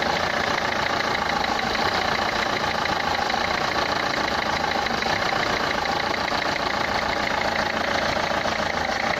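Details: Renault Clio 3 1.5 dCi 105 hp diesel at idle: a sharp, fast rattling clatter harsher than normal combustion noise, described as a sound in the injectors, pointing to noisy injectors.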